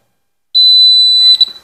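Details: Continuity bell test on new house distribution board wiring: one sharp high buzz under a second, then silence, showing the switch and light circuit is continuous.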